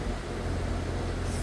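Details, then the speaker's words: Residential AC condenser unit running after the capacitor was replaced: steady low hum and airy rush with no longer any of the earlier buzzing or bang, and the system now cooling properly. "But one thing you don't hear though is that buzzing sound that you heard before. That buzzing sound, that bang, you don't hear that. That is a good sign."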